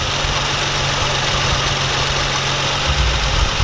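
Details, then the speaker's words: Nissan 350z petrol engine at normal idle after replacing serpentine and A/C belts and loosening the over-tight tension; steady low hum, earlier squeak gone, no belt squeal, A/C works. "so squeaky noise is gone AC works everything seems to be good now"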